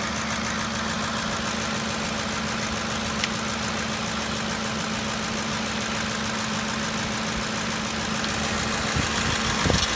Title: Ford 5.4L 3V V8 Engine Ticking Sound (Lifters?)